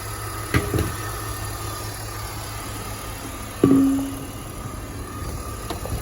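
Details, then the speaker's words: 2005 BMW X5 idling with A/C running after replacing the A/C compressor clutch bearing, pressure testing, vacuuming and recharging; even, steady compressor hum with a few light clicks, the earlier bearing growl gone, sounding smooth. "no more core Stone coming from the compressor bearings and doing some smooth and nice thank you we finished recharging AC system"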